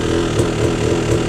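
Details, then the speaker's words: 2004 Yamaha YZ250 two-stroke, choke on, after leaner jetting and a float height check within range, idles with a dull, muffled burble instead of a crisp ping, still running rich; cause unconfirmed. "It sounds kind of crisp and pingy at idle where this is kind of just rub rub rub rub. It almost sounds like it's drowning out a little bit."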